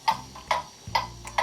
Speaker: there you can hear the movement is in beat i'll put the sound through a sound amplifier to make it easier to hear that is the even tick tock tick tock that you're looking for